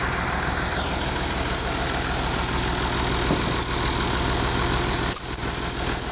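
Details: IH 5288 tractor diesel at first start after finishing touches, injector lines bled with fuel to at least four: steady, even idle clatter with no knocks or uneven beats, sounding better than in years; normal idle.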